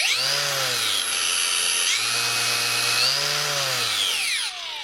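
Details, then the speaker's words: Performance Ready to Connect battery grinder repaired with a replacement AliExpress control board and push button for speed change, running in reverse direction before swapping red and blue wires: high motor whine rising and falling cleanly through speed steps, no grinding or rattle; speeds work. "donc déjà les vitesses marchent"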